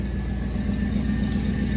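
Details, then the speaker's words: Federal Chevy Tahoe V8 at idle after tightening exhaust to fix a leak before emissions: deep, steady rumble with even beat, no puffing or ticking; exhaust leak gone. "way better. You can not even hear that leak anymore. Wow."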